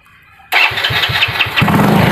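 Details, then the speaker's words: C70 motorcycle, long unused and previously dead, with a weak ground (massa) connection now fixed: ignition on, one press of the electric starter and it cranks briefly and catches within about a second into a steady idle; normal electric start. "Coba kita tekan sekali starter langsung nyala saya ya"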